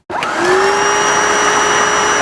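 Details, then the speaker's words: Hoover SD101 cordless vacuum that wouldn't turn on, after repacking the battery with fresh cells: motor spins up quickly to a steady clean high whine of constant pitch, no rattles or surging, not very loud; normal motor run. "And bingo! It works. It's actually not that loud as well, so I'll plug the charger in."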